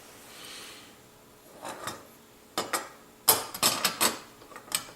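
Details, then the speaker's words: AEG V3 airsoft gearbox shimmed blind, gears turned slowly by hand after adding two 0.2 shims on top of the spur: irregular gritty clicks and scrapes in short bursts; the mesh is too tight from overshimming. "too tight uh take one off and just take one off the top what the hell sounds like scraping"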